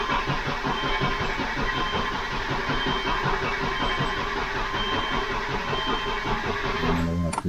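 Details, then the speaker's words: 2005 Subaru Outback with known low compression; the starter turns the engine over in a steady, even rhythm with no hesitation, battery weak and charger to be connected; normal even cranking. "dying okay we're gonna hook up the charger to it but it sounds good and even nice even crank you know"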